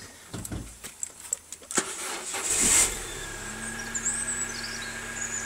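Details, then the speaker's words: Car with fairly new rear tyres and about 3 mm to go before the wear bar on the fronts, started up during a walkaround: a few clicks, quick crank and catch, settling into a smooth quiet idle with no rattles or knocks; engine sounds perfect. "you can hear, the engine sounds absolutely perfect. There's no rattles there or knocks."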